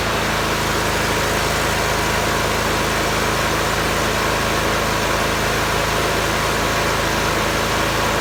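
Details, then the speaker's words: John Deere mower after new spark plugs and cleaned coils and magnets, cover off: steady, even engine drone with no pops or misses throughout; the popping is fixed and it runs smoothly. "well that seems to have fixed it and don't pop anymore"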